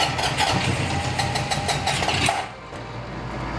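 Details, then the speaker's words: 1974 Honda CB750 with rebuilt carbs, new plugs and coils, after carb and idle adjustment, with brake cleaner sprayed in and the tank just refitted: fires and runs raggedly for a couple of seconds, then dies on its own. Owner suspects fuel still refilling the system; the choke was partly open. "Right there. I just stopped. I didn't do anything. They wanted to run for a second there. I think it's just getting like fuel back in the system."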